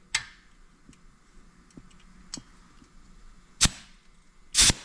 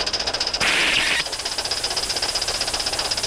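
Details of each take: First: Accucraft/Aster USRA Heavy Mikado 1/32 gauge-one live-steam locomotive, alcohol-fired, pressure gauge near 60 psi while setting replacement safety valves: sharp hissing blow-offs, one staying open about a second, the last hissing without closing; safety valve slow to reseat. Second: Accucraft/Aster USRA Heavy Mikado 1/32 live-steam locomotive, not yet run in, hauling 16 cars plus caboose: quick exhaust beats, then safety valve lifts about half a second and snaps shut cleanly, reseating around 60 psi; normal lift and reseat, improving with running.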